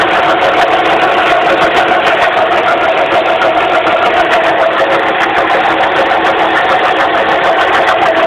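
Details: 2006 Suzuki Forenza at idle, hood open: loud, steady droning hum over the engine from a failing power steering pump.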